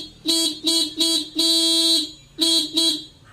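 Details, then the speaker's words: Scooter (Hero) horn after replacing the horn switch with a local plug-type switch and locking the clamp: six clean, steady bright horn blasts, one held longer, crisp starts and stops; horn now works properly. "Okay, clamp lock பண்ணி விட்டு இப்போ பாருங்கள் நமக்கு இப்போ horn நல்லாவே அடிக்குது."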